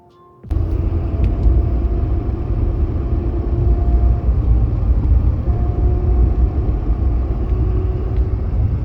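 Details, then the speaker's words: High-mileage Ford F-150 at about 50 mph on light throttle on the interstate: steady low whine over road rumble from the rear differential, which was low on fluid; topping off quietened it slightly, worn diff suspected. "Now, another one of the things that I will add about with the diff noise is that it tends to be a lot worse at 50 miles per hour when I'm on very light throttle. So when I'm on a highway on the interstate, it tends to be the worst then."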